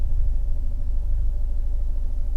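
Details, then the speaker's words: Fiat 124 Spider with the 1.4L MultiAir turbo engine, checked after its camshaft issue. Steady idle with a slightly bubbly exhaust but an even beat and no misfiring, unlike before; normal idle. "Idol's good on this fires exhaust sounds a little bubbly verbally but it doesn't sound out of the ordinary it doesn't sound like it did the other day where you could literally like hear it line of like misfiring and just being very like unsettling"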